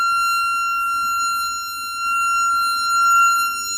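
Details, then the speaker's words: Jensen V21 upper driver bench-tested on a Leslie 22H amp while the test note is changed: steady test tone with a buzzy edge and shifting level, the speaker rattling at this note. "think we need to hear that is it is rattling"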